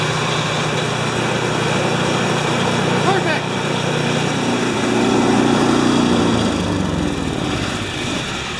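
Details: Mastercraft MTD snowblower after new drive belt fitted: small engine runs at a steady, even speed with the belt drive and idler wheel whirring; normal running after repair.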